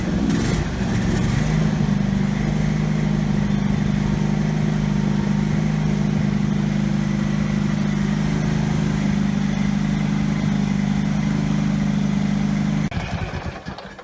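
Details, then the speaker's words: Husqvarna riding tractor engine that had been racing, started after securing the loose governor shaft to the governor arm: steady low idle-like speed with no surging, never picking up; engine speed now controlled but throttle unresponsive. "Okay, so that's kind of a mixed result. The engine speed is under control. Throttle's not responding, but the engine So this is basically idle."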